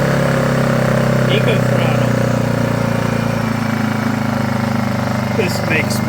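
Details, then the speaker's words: Honda EU2000is inverter generator, bought non-running, started after about six pulls on existing fuel, air box off: steady, even drone at one pitch, no surging or misses; normal running. "one two three four five six wow I was not expecting it to"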